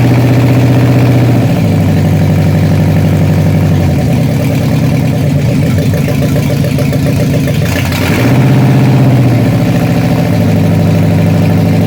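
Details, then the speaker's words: Freshly rebuilt 302 V8 from 1966 Bronco, first start on run stand: loud, lumpy idle with uneven stumbling beat that never settles; dead cylinders caused by carburetor trouble (a bad lifter tick was found separately). "so something's not right i didn't want to hear that you don't have to show this dead cylinders i can tell the way it sounds it didn't sound right"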